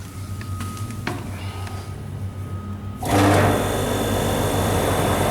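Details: Prestcold 1/2 HP compressor on a 90-gallon Fullwood milk tank after a no-start: quiet hum, then it kicks in around three seconds and runs steadily; suspected start-relay contact (cleaned) or bad wiring, old capacitor wires replaced, running fine since.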